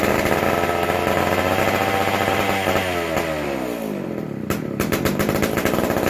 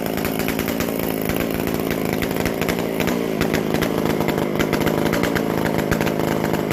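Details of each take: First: McCulloch Super Pro 125c chainsaw, first fire after cleaning, intake boot and modded new old stock muffler: runs ragged, pitch sags and it dies with a few clicks; non-adjustable carb, acting like it isn't getting enough fuel. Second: McCulloch Super Pro 125C chainsaw; loud crisp high buzz, steady even firing, healthy, loud because the muffler-to-exhaust gasket is still missing.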